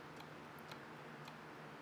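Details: BMW N52 intake VANOS solenoid removed for fault 2A82, actuated on the bench while being cleaned: faint irregular light clicks, moves to end of travel, sounds normal; cleaning did not clear the fault.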